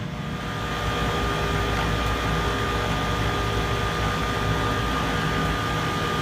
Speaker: so we've got one motor running and doing just fine but this motor over over here the fan blade is just barely creeping along hardly moving at all